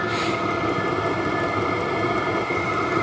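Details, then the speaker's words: Battery-powered diesel heater at the allotment, ignited and heating with the door open and a CO meter present: steady even fan roar with a constant light whine, no surging or misfire; fan kicking up, running normally. "oh that is lovely and you can see we're going now you can hear the fun kicking it up and you can hear everything running nicely"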